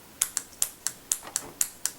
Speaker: that makes the solenoid chatter or click open and shut. That's the sound that I'm listening for.